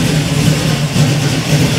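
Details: 1967 Camaro V8 after rewiring with a kit, first start from the key in neutral with good oil pressure: fast idle with a deep, steady burble, no knocks or misfires; normal running.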